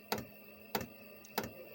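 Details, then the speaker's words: Chinese diesel air heater that lost heat and threw E10: fuel pump ticking roughly every 0.6 s, fuel seen moving through filter and pipe toward burner, but no burner roar; fuel not burning, suspected contaminated. "this fuel coming into the filter which means there's fuel going up out of the pipe there's just sure going up out of the pipe and into the fire like it was earlier"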